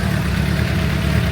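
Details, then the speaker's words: 2006 Suzuki GSX-R750 idling after an oil change done with the wrong oil filter, oil warming from 48 to about 60 degrees: steady smooth low idle, even beat, no ticking or tapping; normal idle. "yeah, as you can hear, the engine is running pretty good. No ticking noises, no ticking time bombs."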